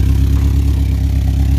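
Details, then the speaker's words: Toyota Previa after oil-leak overhaul with valve cover reinstalled, first start without throttle: loud deep idle with steady low puffing pulse from a massive exhaust leak at the rear, needing welding at an exhaust shop. "first hit did not have to give it any gas whatsoever just proven from how it's been now you can clearly hear the massive exhaust leak going on"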